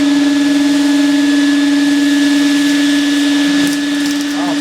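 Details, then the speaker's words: Two-motor vacuum used to clean return-fire-tube wood boiler tubes, one motor kicking in then the other; steady high motor whine with rushing airflow, running smoothly with no grinding or surging. "actually it's got two motors on it so you hear one kick in then you hear the other one kick in"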